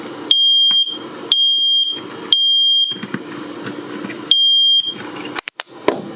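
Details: Smoke alarm in a Rockwood Geo Pro 19FBS camper during an amenities inspection, while the gas refrigerator and water heater were being tested: shrill high beeps in groups of three with pauses, the full alarm pattern. Cause unclear.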